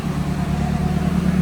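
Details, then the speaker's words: Nissan S15 SR20 on its first drive after transmission and fluid work, in cold weather. An even, low engine drone with no ticks, hiss or misses; the engine runs cleanly and steadily. "feels good sounds good it's pretty cold outside feels good"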